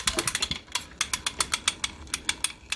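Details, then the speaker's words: 1959 Shakespeare Spin Wondereel No. 1761 Model FB spinning reel: sharp bright metallic ticks about seven a second when winding fast, silent when slow; pickup pin likely hitting a dent in the housing, shiny wear mark seen there. "well it's doing it even though I'm going slow unless it's unless it's hitting that dent right there they go real slow I don't hear it at all as soon as I start speeding up I hear it"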